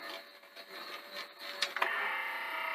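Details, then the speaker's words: Sanyo VTC-NX100 Betamax with a missing belt: after a couple of clicks the reel motor whirs freely at a steady high pitch, running unloaded with no reel rotation. "so you hear the real motor just going but because there's no belt on it so the wheel motor is just running wild no load on it"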